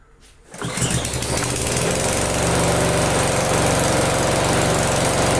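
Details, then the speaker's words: Restored walk-behind lawnmower: fires after a couple of pulls and settles into a steady, even run with no hunting or shaking; exhaust probably leaking slightly but runs fine. "it's fine the exhaust is leaking I'm sure but I don't think it's too bad and it doesn't shake so that's just perfect"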